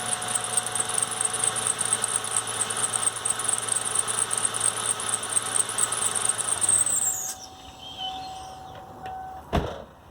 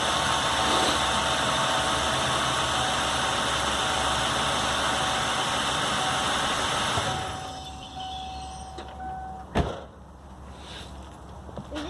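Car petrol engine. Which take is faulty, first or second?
first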